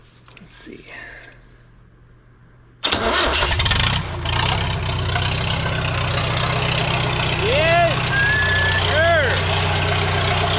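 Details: Late-1980s Lull Highlander 844 telehandler diesel after valve lash adjustment (exhaust 18 thou, intake 14 thou), muffler off: cranks, catches and settles into loud, uneven clatter; rough running, pump timing possibly slightly off.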